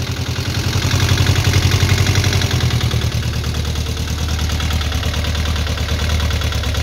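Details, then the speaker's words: VW Beetle with Type 4 engine, first start, carburetors running rich and leaking fuel at a rocker cover: rough, uneven idle with busy top-end clatter; noisy rockers, hydraulic lifters not yet adjusted. "On entend pas mal les culbus, hein. Ouais, parce que les culbus, c'est des pousseurs hydrauliques, hein, qui ne sont pas réglés, rien."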